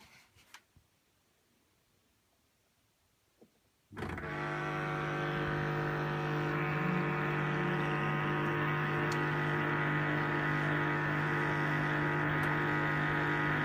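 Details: LG 11kg Steam Direct Drive F1495KDS front-loader, two months old, during the wash cycle: loud, steady electric buzz cutting in abruptly, varying in loudness; recirculation pump suspected.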